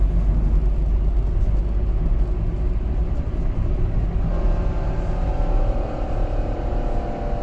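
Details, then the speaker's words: A vehicle gives low road rumble, then a distinct whine when the accelerator is released, in neutral or in gear, but not under throttle. This is differential gear whine, typical of damaged crown and pinion teeth. "यह देखिए कितनी ज्यादा sound आ रही है चाहे गाड़ी लूटल हो चाहे गियर में हो जब भी हम चलाते हैं"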